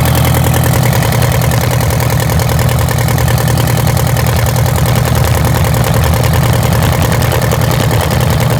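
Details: Detroit Diesel 8V92TA two-stroke in a Wanderlodge RV: loud, lumpy idle where one cylinder keeps dropping out. The misfire is from a bad injector and scored, cracked cylinder liners; the engine was also smoking.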